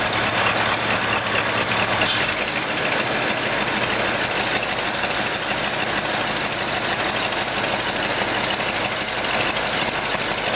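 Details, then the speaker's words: Ford F-100 V8 on first start in five years, with new spark plugs and rebuilt carburetor: fast, uneven ticking over a rough, busy idle with hiss; small exhaust leak, and it still needs an adjustment. "he runs pretty good have to do an adjustment got a little bit of an exhaustive that you"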